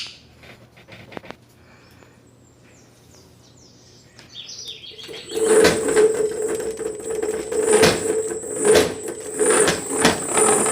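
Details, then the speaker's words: Xiaomi M365 electric scooter hub motor spinning with a rough buzzing whine that surges unevenly about once a second, with vibration and power cutting; owner suspects a loose motor wire or a bad bearing. "geralmente acontece isso quando solta um dos fios ele fica fazendo esse barulho desequilibrado ou quando é rolamento ele desequilibra o motor"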